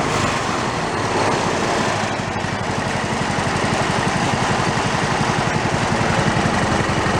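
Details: Toro riding mower single-cylinder engine, failed and torn down, rebuilt missing half its crankshaft, idling with no throttle: heavy loping thump about four beats a second, uneven and shaky "like a Harley", from the unbalanced crankshaft.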